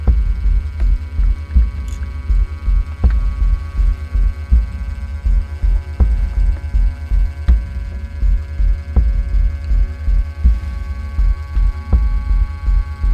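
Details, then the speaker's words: Hornby GWR freight model train set locomotive on slow-speed test, forward: loud deep hum with a slow throb under once a second while creeping; excessive motor noise, controller suspected but cause unclear. "let's do this slow test well that's very noisy let's go forward Sam test slow test very noisy"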